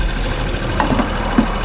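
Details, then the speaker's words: Abandoned three-cylinder Geo Metro LSi convertible, first start after sitting: rough, lumpy idle with the fuel pump ticking audibly. Tired engine, cause of the roughness not pinned down. "no way man you can hear that fuel pump just ticking away it actually doesn't run half bad I mean it doesn't run half good either"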